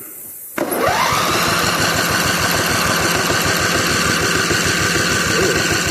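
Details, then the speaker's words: Simplicity Broadmoor older mower, 16 hp Briggs & Stratton V-twin that cranks but won't start (has spark and fuel), compression tester on first cylinder while cranking: even chuff about four per second, strokes alike; excellent compression on this side. "That side's got excellent compression."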